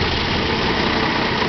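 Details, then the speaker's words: 1966 Ford Ranchero with original A/C compressor, low idle, A/C switched on: loud low rumbling growl; compressor clutch or bearings suspected, replacement compressor considered over rebuild, unconfirmed. "there we go so that's the rumbling that's the rumbling sound that the other mechanic was talking talking about"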